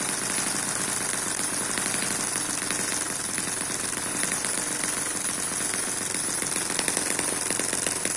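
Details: Eachine EM1 (same as M14) 4-stroke opposed double-piston mini engine running normally at a good speed, may slow more once warm; fast, even crackling beat with exhaust popping, no stumbles, like a sewing machine.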